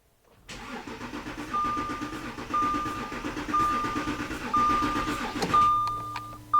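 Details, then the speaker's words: 2014 Audi Q7 3.0 L diesel with rough running, shaking and power loss (P0087 low rail pressure, P0272 cylinder 4 balance), cranking under scope test: even compression pulses about 3–4 per second with no knocks. Mechanically healthy engine. "okay now the engine doesn't sound bad actually the engine sounds pretty healthy so let's Crank It"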